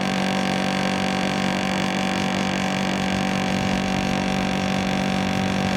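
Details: National CU-915KH 1.0-ton mini-split outdoor unit (1990s, Matsushita, Japan) on the roof tiles, noisy since September 2012: steady loud low hum with a buzzy, rattly drone; excessive vibration noise, cause unconfirmed.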